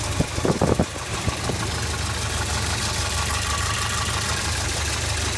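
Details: Volvo 740 B230FT turbo petrol engine set up for LPG, at idle: a few sharp stumbles, then an uneven, lumpy idle with an irregular beat; misfire and rough idle.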